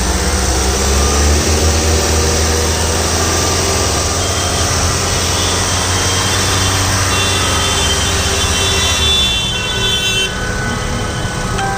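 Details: 2008-2009 Honda CR-V (DL3C) engine noise: steady idle with a faint irregular ticking over the hum, then the engine note shifts; abnormal engine noise, source unclear.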